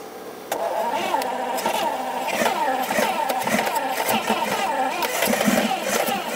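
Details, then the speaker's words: 1971 Lamborghini Espada Series II V12 barn find running on a non-standard fuel pump: fast uneven cranking with ragged half-catching firing that nearly starts but stumbles; balancing against flooding, slightly flooded. "it tried to stumble into life very nearly fired it did but because we're running on you know the non-standard fuel pump we're trying to kind of balance between flooding it"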